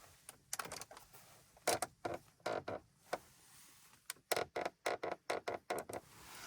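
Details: Volkswagen interior, creaking appears when warm after a 30-minute drive or in sun: short sharp creaks and squeaks when the panel is pressed; lubricant fixed the console-to-dash joint, but this remaining trim noise is unresolved.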